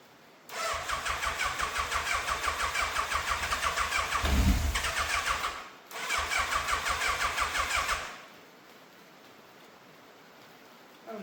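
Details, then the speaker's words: Fire-damaged Yamaha FZ750, 41,000 miles, first start after fuel filter, airbox and carbs refitted: starter churns about three per second in two long bursts, never catches; frayed choke cable not pulling fully, then came off; right carbs leaking fuel. "The choke has literally just come off in my hand. I mean, I always knew that cable was a bit frayed, and obviously it wasn't pulling properly all the way, but with that off, very much going to struggle to start this."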